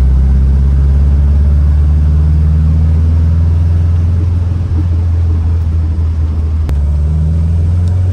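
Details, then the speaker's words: 1967 VW Type 3 Squareback on a road drive after fitting a Pertronix SVDA vacuum-advance distributor and re-timing, during break-in: deep, steady, even thrum under load with no misses or knocks; the engine runs smoothly. "the car drove really well the engine is running really smooth I think the timing is way better than before"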